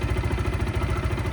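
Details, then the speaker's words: Zontes U/U1 125 motorcycle started with the clutch held in after the fuel pump primes: steady even low putter settling at idle, no knocks or rattles, a healthy idle. "Once it's primed, just press the start button with the clutch held in and the bike starts up."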